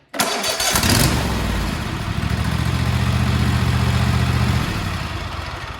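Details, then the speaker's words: Craftsman T240 lawn tractor (MTD), Kohler KT725 22hp engine, after tune-up with new plug, filters and oil, restarted indoors: brief crank, catches within a second and settles straight into an even, steady idle; quick start and normal idle. "There you have it. This thing starts up real quick now."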